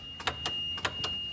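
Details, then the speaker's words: Yamaha golf cart with the seat off, key on and gas pedal pressed: sharp clicks in close pairs roughly every 0.6 s over a faint tone, no motor hum, no drive in forward or reverse; solenoid chattering. "now the problem you're probably experiencing is the key's on already so when you click on that or step on the gas pedal it's just clicking you got nothing reverse"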